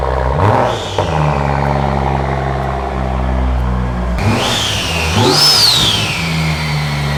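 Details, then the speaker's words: Wrecked 2016 BMW M235i being rebuilt: engine catches quickly, steady idle, then revs cleanly and drops back without stumbling; motor runs good. "Okay, I'm happy that the motor runs good. As you seen in the video, it starts up, sounds good."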